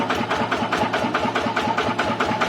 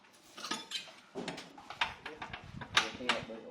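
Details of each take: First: TF115 motorcycle engine upgraded to 150: steady, even idle pulsing about five or six times a second with no ticking or misses; valvetrain healthy. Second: TF115 motorcycle engine bored to 150: after a few tries it starts and idles with a quick, even light ticking over the exhaust beat, from excessive valve clearance, before valve adjustment.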